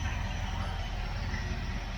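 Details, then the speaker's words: Mopar 318 LA V8 that sat 10 years, running on an engine stand, 50 psi oil pressure at idle, charging about 13 volts, not yet at operating temperature: deep, steady, unbroken rumble with no knocking or ticking; normal idle. "that's a 318 La motor that's been sitting for 10 years running on the engine stand right that's right abely that's cool that's super cool look at that 50 lbs of oil pressure at idle charging 13 13 and 1 12 volts"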